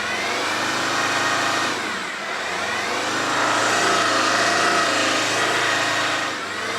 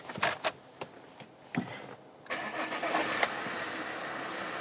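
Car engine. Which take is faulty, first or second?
first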